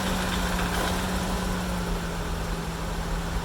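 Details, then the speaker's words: 31-year-old Mazda B2000/B2200 pickup started just after an oil and filter change with 4.5 quarts of fresh oil: a soft, steady low hum with an even tone and no ticking or knocking. It is a smooth, healthy idle. "Purrs like a kitten, and while it's circulating and everything, I think I'll back it up off these ramps."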